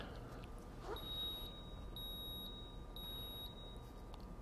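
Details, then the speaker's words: 1993 Ford Mustang GT, EEC-IV key-on engine-off self-test: three even high beeps a second apart, a digit of stored (not current) code 33, EGR valve not opening properly; known EGR vacuum connection problem, faulty vacuum cap. "then it moves into the stored codes so these are codes that are stored that are not actually current and it gave me a 33 and you'll notice that it repeats"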